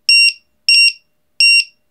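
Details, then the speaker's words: LiPo/Li-ion 1–8 cell battery tester with low-voltage buzzer alarm, alarm threshold being set to 2.9 V per cell: three shrill double beeps about 0.7 s apart confirming the new setting, which reverts to the display after a few seconds. "bây giờ là hai điểm chín sau vài giây nó quay trở lại nhưng điều này một khi bạn thay đổi nó sẽ phát ra tiếng bíp."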